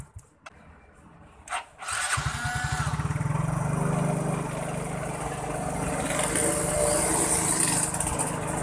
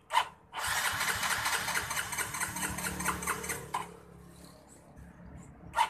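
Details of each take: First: Yamaha Mio J fuel-injected automatic scooter that would not start: a short crank, then it catches and settles into a steady, even putter with no misses, starting and running normally. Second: Yamaha Mio J fuel-injected scooter that will not start, with no fault code shown: the starter whirs about three seconds with steady chatter but the engine never catches.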